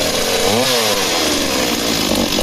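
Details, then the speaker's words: Stihl MS260 two-stroke chainsaw, needle settings at factory: revs cleanly at top RPM, then sags and wavers at low RPM and sounds lean; worn older ignition suspected of not giving consistent low-RPM spark. "when they've been used a lot they'll be fine top RPMs and then low down RPM they just they're not generating the same consistent spark so but she sounds like she's running lean on fuel but the needle settings are Factory and they're correct"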